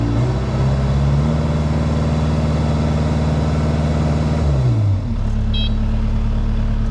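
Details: Engine cranks after fuel pump priming, catches and runs with a steady low drone, revs briefly, then settles back to a smooth even idle; normal running.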